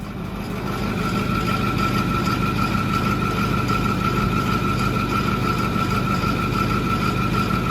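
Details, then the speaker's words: Truck fully cold start: rough idle with a steady high chirping whine from a pulley, which lasted about five minutes before and stopped when the fan clutch kicked on; exact pulley not yet identified. "all right we've got a pulley wear it it's changing [Music] we heard that when we first fired it up last time too in a cold start"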